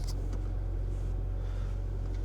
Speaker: And running smooth at that. Look at that, we're staying right under 1k RPM.